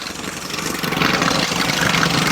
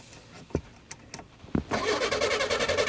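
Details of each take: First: 1984 Chevy Citation salvage-auction car, long unstarted, after adding about 1.5-2 gallons of fuel and pouring some down the engine: catches and settles into steady, slightly uneven idle with light rattle; running again. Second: 1984 Chevy Citation, no battery fitted: a few clicks then steady fast cranking that never catches, no fuel getting in; starting fluid is sprayed next, after which it runs.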